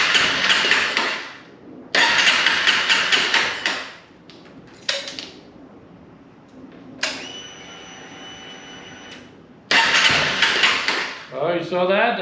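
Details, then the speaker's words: 2011 Honda CBR250R, 7,500 miles, long-sitting, after new battery, fuel pump and cleaned tank and fuel system, primed; short cranking bursts where engine catches for a second then dies on fuel in the system: engine fires on its own fuel. "That's just the fuel that's in there. Oh, it's going to go."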